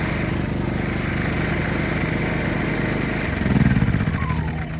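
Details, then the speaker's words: PowerSmart PS5025 2200W 4-stroke OHV inverter generator in eco mode, choke out a little; low steady even hum, no misses or knocks, mower droning nearby; normal inverter generator idle. "But I mean, honestly, fellas, for it to run like this, choke out a little. Listen to it. Amazing."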